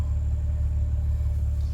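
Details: 2004 BMW X3 3.0 six-cylinder, about 152k on the dash, after $800 of repairs that cured a rough idle, emissions passed: steady, even low hum with no misses, stumbles or knocks, purring; normal idle.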